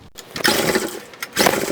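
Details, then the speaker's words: Trash-picked 2005 Craftsman 5600-watt generator (model 580.325601), 10 HP Briggs & Stratton 204412-0147-E1, fresh oil and gas, choke on: two pull-cord rips spin the engine with no firing. Fuel delivery or carburetion is suspected. "Alright, next step is to spray some liquid fire in the mouth of this thing and see if it coughs a little bit better. If it does, then we know we have a carburation or fuel delivery issue."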